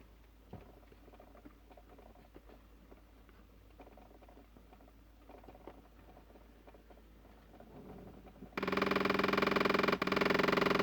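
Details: Toyota Sienna: light, steady clicking, about three to four per second, from behind the dash by the driver's footwell, then the blower roars on. Clicking continues whatever air mode is selected; cause not confirmed.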